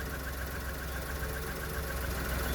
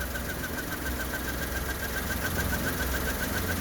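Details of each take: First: 1997 minicab small engine at steady, even low idle with no knocks, misses or squeals; owner says it runs a little rich but is reliable and has only failed to start when the battery was drained, and runs well. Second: 1997 minicab small interference engine idling low and slightly uneven in neutral; starts right up, but owner thinks idle needs raising about 100 RPM and plans to adjust the idle screw. Cause suspected, not confirmed.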